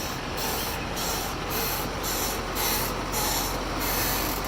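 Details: LBZ Chevrolet 2500HD Duramax pickup: rhythmic click about two a second, mainly in reverse, from the middle area; owner suspects transfer case pump rub, not confirmed.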